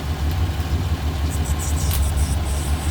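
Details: 24-valve 2.8 VR6 in an MK3 Golf, warmed up after teardown work: smooth, even low rumble with steady beat, no knocks or ticks; healthy warm idle.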